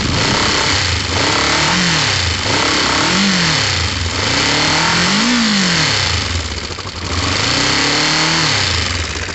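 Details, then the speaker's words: Warm motorcycle engine with its original coils reconnected: it catches cleanly, then blips up and settles back several times with pitch rising and falling evenly and no misfire. It runs normally. "plug them back in see how that sounds uh but that sounded normal to me let me show you again because it's warm"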